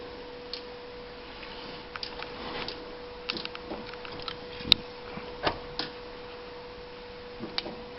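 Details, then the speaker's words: 1992 Honda Civic with no spark, no injector or fuel pump signal: quiet bay with scattered sharp snaps as distributor wiring is moved, coil firing intermittently; fault in connector or wiring harness suspected. "Right there, you can hear it snapping. So right now the coil is starting to fire."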